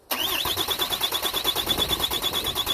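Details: 2007 Dodge Ram 2500HD 6.7 diesel automatic during transmission range sensor circuit checks with a new TIPM: fast, even starter chugging about eight pulses a second with a high whir, never firing; cranks without starting, cause not confirmed.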